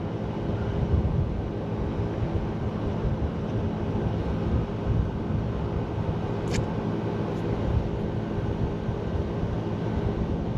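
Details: Refrigeration unit at a liquor store after a condenser replacement for a leak, vacuum pump hooked up: steady, even low hum with no surging or knocking, the vacuum pump pulling down smoothly; normal operation.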